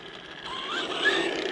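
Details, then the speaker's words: New Arrma Vortex electric RC truck on first run, unboxed: fast, ratchety clicking from the drivetrain while driving, cause unknown; driver-side front and passenger-side rear wheels wobble, possibly a bent axle or wheel. "hear that so there's a weird click so i'm not sure what that clicking noise is"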